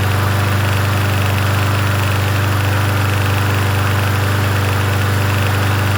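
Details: Yard Machines 21-inch push mower, 163cc engine, in cool 50s weather: even, steady single-cylinder thrum at constant speed with no hunting, surging or misses; runs smoothly.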